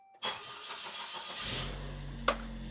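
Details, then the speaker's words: Saab 9-3 after fuel level sender replacement, fuel pump primed three times to rebuild pressure: brief crank, catches immediately and settles into a quiet steady idle; starts cleanly. "fired right up beautiful awesome"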